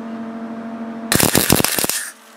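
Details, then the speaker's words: MIG welder tacking spark plugs together: uneven, crackling sputter for about a second, popping irregularly instead of a smooth sizzle; erratic weld, welder suspects wire speed set too high. "I think my wire speed's too high."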